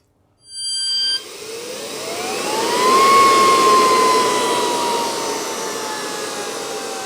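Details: NetGain Warp9 series DC motor run unloaded on older Curtis 1221C-7401 120 V 400 A controller: smooth electric whine rising in pitch as motor spins up, then settling and easing; both run cleanly.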